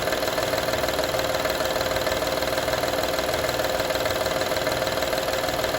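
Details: 2012 Honda Odyssey engine at steady idle: quick, even metallic rattle at about two per second over the engine hum; engine rattle at idle, source still needs tracing.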